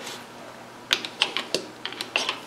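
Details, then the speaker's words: Triumph Spitfire HS2 SU carburettors with jets centred and glands fully tightened: several small, crisp metallic clicks over a quiet room as each lifted piston drops freely onto its seat, showing correct operation. "You can just hear that little metallic click. That's what you want."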